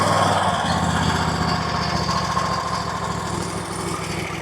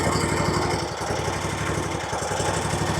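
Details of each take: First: RedMax zero-turn mower, Kawasaki V-twin, after carb tuning to cure surging, hunting and backfiring (compression tested, intake gaskets replaced): even steady beat about four pulses a second, no rise and fall in speed; runs smoothly, much better. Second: RedMax zero-turn mower with a Kawasaki twin, one spark plug lead pulled: a choppy idle pulsing about four times a second and dipping near one second, sounding like one cylinder. It still revs; surging persists on either cylinder.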